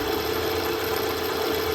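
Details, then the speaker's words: CNC mill with Big Daishowa speed increaser, 1/4 in ball end mill cutting hardened 1095 steel, slowed from full speed to about 2250 RPM: steady cutting hiss with faint constant whistle; slight chatter remains, less than at full speed. "I'm getting a little bit a chatter it sounds like"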